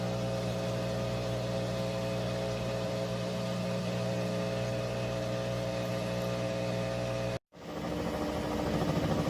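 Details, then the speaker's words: 3-year-old Whirlpool Cabrio washer, full load of mostly jeans and towels, final high-speed spin; steady whirring drone with even low motor and drum hum, no knocking or scraping; normal spin cycle. "we're on the final spin it's in a high-speed spin it's got"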